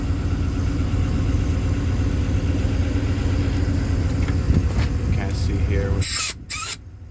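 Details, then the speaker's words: 2019 Ford F550 service truck, 111k miles, Enpak unit air compressor switched on and building air, reaching about 60 PSI quickly; steady low engine-driven drone, smooth even beat, no knocks or squeals; normal air compressor operation. "okay so here we've got the air pressure or the uh sorry the it's compressing air it's building air so it's doing"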